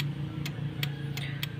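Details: Yamaha Mio J scooter starter giving five sharp dry clicks with no cranking, starter motor not turning; starter relay or starter motor (dinamo) suspected, voltage checked at the big red cable to the starter.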